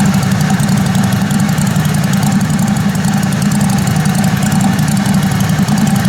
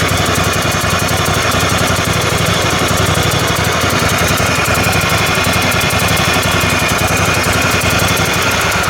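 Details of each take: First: Kohler Command Pro 27 hp lawn mower V-twin after a head gasket repair, with the muffler baffle drilled out; loud, raw, steady open-exhaust idle with no misses; runs smoothly. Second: Kohler Command Pro 27hp twin-cylinder mower engine, running on one cylinder after plug fouling, attempting start: sharp rhythmic puffing like an exhaust leak; owner suspects blown head gasket.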